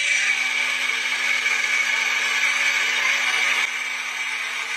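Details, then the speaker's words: Engine-bay humming whine, steady high pitch over engine hum; AC compressor and water pump already replaced without fix; cause: power steering pump internal seal damaged, pump losing pressure; repaired by disassembling pump rather than replacing assembly. "这明明就是转向助力泵传出来的声音，咱们一起听"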